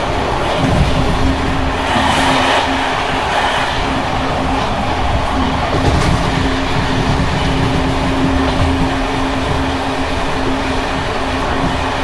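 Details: Bd264 481 coach (built 1979), Görlitz V bogies long overdue major maintenance, evening express on rough line 190 near Hluboká nad Vltavou–Číčenice, heard from compartment or open window: loud rolling rumble, clattering and rattling over rail joints from bouncing worn brake gear.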